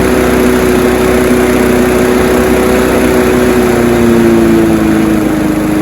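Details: Honda HR173 push rear-roller rotary lawnmower after a detailed carb clean and service, started on choke: steady even buzz at constant speed, no hunting or stumbles; it revved high on start, which these all do; runs normally.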